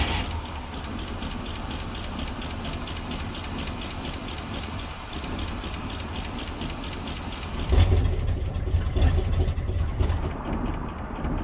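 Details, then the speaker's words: 1964 Cadillac 429 V8 with Turbo 400 transmission, long derelict, first start after cleaning cables and points and pouring fuel down the carb: steady low rumble with rapid even beat and hiss, then a rougher surge; sounds healthy. "Okay, sounds healthy."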